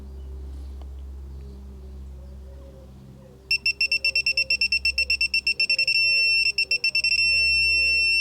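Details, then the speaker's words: 2012 Volvo XC60 D5 AWD service, torque wrench set to 25.5 Nm on a filter housing: quiet handling noise, then a fast train of sharp high beeps about three per second, pausing briefly; the wrench has reached its set torque. "So, there we go. That's tight enough. I'll just do it again for good luck."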